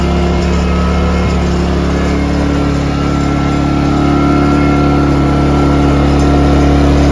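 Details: Ryobi 2300W/1800W portable inverter generator after carburetor cleaning to fix surging at idle: steady even drone, constant pitch, no hunting or surging; normal smooth idle.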